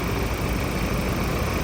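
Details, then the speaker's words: Ford Raptor diesel after replacing all four injectors (a cylinder 3 injector had failed) and injector learning: a smooth, even low rumble at idle with steady loudness and no knock. Normal, runs like new after the repair. "อันนี้นิ่มนิ่มากเลยเหมือนรถใหม่เลยนะครับ"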